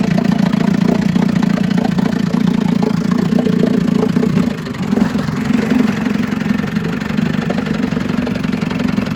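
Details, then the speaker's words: 1956 Scott Atwater Bail-A-Matic 10hp outboard, first test run after rebuild for overheating and low compression (cylinders honed, rerung, new crank seals, impeller, carburetor cleaned, points set). Catches and settles into an even popping two-stroke idle about three beats a second; normal start and idle. "This is the first test run of a 1956 Scott Atwater Bail-A-Matic 10. I already had it running, so it should start right up."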